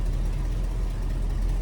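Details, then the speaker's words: Grandfather's 1966 Ford Thunderbird V8, warming up before a test drive: low even burble with smooth steady beat, no misses or ticks; healthy normal idle. "Man, listen to that thing, huh? Holy macaroni. The bird is alive."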